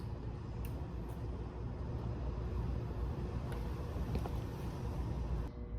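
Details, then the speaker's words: 2013 small single, revived after new battery, valve adjustment and fresh gas: quiet low putter settling into steady idle without stumbles, then cutting off; running fine. "It's really hard to resist the urge to ride it because it's a lot of fun. But just kind of wanted to show it to you guys and fire it up here."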